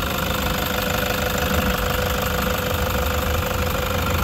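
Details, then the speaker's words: 2016 Toyota Hiace 3.0 diesel at idle: steady, even diesel clatter with no squeal or rattle from the front; normal diesel idle, the loud noise suspected from the engine was actually traced to the alternator pulley. "okay Normal naman yung tunog mga paps ng ganyan talaga tunog ng diesel"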